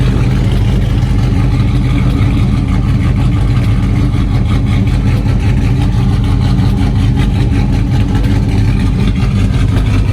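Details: Cayenne V8 after fixing a bad misfire caused by a spark plug wire lying on the manifold; deep, steady rumble with an even beat, no stumble or skipped firing, engine running clean.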